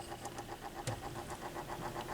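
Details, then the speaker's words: Thorens TD 165 turntable motor spinning without its belt fitted; light ticking about five times a second over a faint motor whir; owner suspects the noise will go away once a belt is installed. "can hear that noise it's making. I think once I get a belt on it, that will probably go away."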